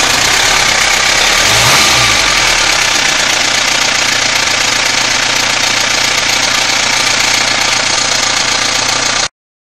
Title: Mitsubishi Pajero Exceed 2.8TDI Timing Chain Strange Noise, Can You Help?